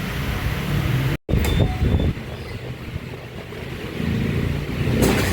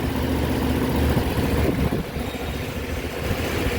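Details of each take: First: Suzuki Burgman Street scooter with no idle: the engine cuts out, keeps running only with uneven revving, and dies when the throttle is released. Dirty throttle body and injector are the cause; the fix is removing and cleaning the throttle body. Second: Suzuki Burgman Street scooter after a fix for hard starting and stalling at idle (O-rings replaced, reprogrammed with SDS2): steady, even low putter with no misses, knocks or hunting, settling into a clean idle.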